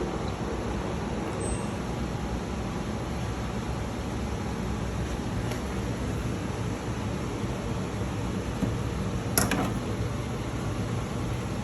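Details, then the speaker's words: LG direct-drive washer after drain pump replacement, running a drain cycle: even low hum and a steady watery whir with no rattle or grinding; the new pump drains normally. "You hear it draining back there? Yeah. Yeah. I can hear that."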